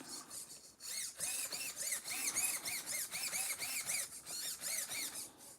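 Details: SCX10 RC trail crawler with newly installed radio and gyro system: quick high-pitched servo chirps rising and falling several times a second as the gyro corrects steering. Normal servo operation.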